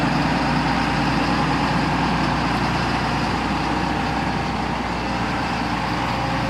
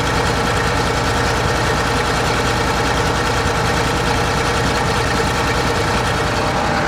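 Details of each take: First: John Deere 9600 combine diesel after replacing a worn-out injector (earlier blue smoke, diesel-diluted overfull oil, 37E code): steady even low idle rumble, no misses or knocks; running completely different now, normal healthy idle. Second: John Deere 9600 combine diesel, cold start, blue smoke, diesel-diluted oil, code 37E: a steady heavy idle with a faint irregular stumble; one cylinder partly missing, traced to a worn-out injector.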